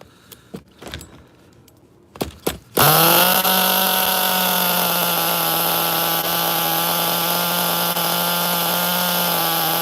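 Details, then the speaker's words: HPI Nitro MT 18SS RC truck nitro engine, refired after tightening a loose glow plug and raising throttle trim idle: after handling knocks it fires and settles into a steady high-pitched even buzz; running properly. "It's a runner. Nice."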